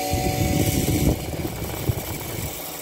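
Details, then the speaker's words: Emerson Quiet Kool window air conditioner, old and vandalized, fired up. A thump at start-up, then a steady low hum that holds even with no knocking; the compressor starts and runs normally. "that compressor sound is just awesome"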